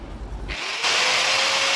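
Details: Angle grinder, after servicing (cleaning, gear greasing, tightened bolts) to cure a loud knocking gear-grinding noise, spins up to a steady high whine with a clean even tone, no grinding or rattle; normal running.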